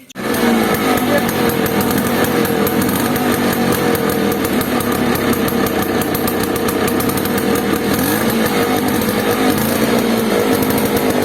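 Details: Bajaj Chetak two-stroke scooter after silencer cleaned and refitted: crisp, steady buzz at even pitch with no popping or choking from the exhaust; running fine.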